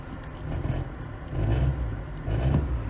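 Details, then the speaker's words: Carbureted 1988 Toyota Corolla that the seller claimed had a bad motor, soon after starting, cooling fan blaring: lumpy uneven idle with three blips that rise and sag unevenly; rough running that smooths after about two minutes, spark plugs unchecked. "it's gonna sound like [ __ ] when it starts trust me she's running rough i mean rough with a capital rough"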